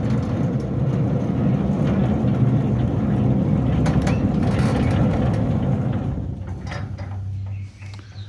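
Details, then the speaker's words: Centurion D5 Evo sliding gate motor after new controller card, replaced gate wheel bearings and repaired track (it had opened by itself): steady low motor hum with even drive noise winding down at its stop; operating normally. "it's working 100%."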